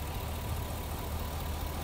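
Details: 2009 Chevy Express V8 with code P0300: four coils on one side are not firing because a broken wire cut their power. The idle is lumpy and uneven with a loping, stumbling beat.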